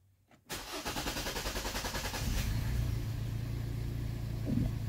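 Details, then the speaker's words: 2013 Hyundai with a crankshaft sensor fault (half the sensor not reading), also showing tachometer dropouts, limited throttle and a check engine light. Petrol engine starts with an uneven, stumbling skip for a couple of seconds, then settles into idle. Misfire on startup. "this thing when it starts it does a misfire you hear it skips"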